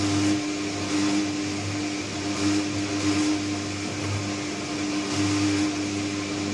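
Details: Candy Trio 9501/1X appliance, new unit: loud operation with a steady strong mid-low hum and resonance, swelling and easing roughly every couple of seconds.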